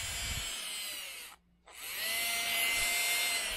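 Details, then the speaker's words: Titan 21-turn 550 brushed motor from a TRX4, after the squeak fix (rinsed in water, blown out, still slightly wet): high, even whine spinning up, stopping, running forward and reverse smoothly with no squeal. "i can hear the motor in the water it's like trying to dry out the water so it's smelling weird"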